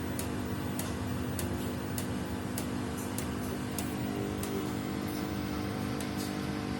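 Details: Samsung WW75TA046TE/SP washing machine, a same-model replacement on its sixth day of use. A sharp tick about twice a second, in time with the drum, over a low hum. The ticking worsens each wash, and the cause is unknown.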